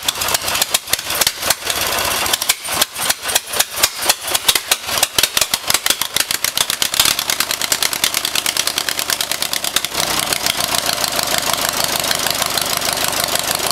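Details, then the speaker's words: First test run of a new 14 hp Briggs & Stratton single-cylinder on a Turf-Power Plus lawn tractor, boosted with jumper cables: it fires in uneven bursts at first, then settles into a steady, quick, even patter and runs normally. "So this is the first test run of the new 14 horsepower Briggs & Stratton."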